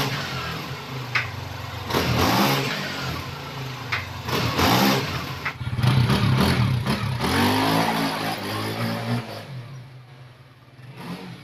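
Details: 2021 Honda Scoopy FI scooter after CVT upgrade for climbing power: revs climb smoothly through several pulls and settle back, no slipping, rattles or knocks; normal acceleration.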